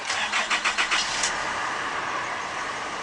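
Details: 2011 Nissan Navara D40 dual cab, YD25 2.5 turbo diesel, 4WD automatic, 148,516 km, at a wrecker: quick cranking bursts, a catch, then an even steady diesel idle settling without misses; normal start.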